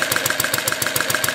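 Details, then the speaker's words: Small overhead-valve four-stroke vertical single, 7/8" bore by 1" stroke, on Coleman fuel, driving a 60 W DC-motor generator lighting a 40 W bulb: the bulb load pulls it down to a steady, even slow idle, about seven firings a second. Normal idle under load. "pulls it down pretty good so it idles at a nice slow [Music] speed and we can speed it up"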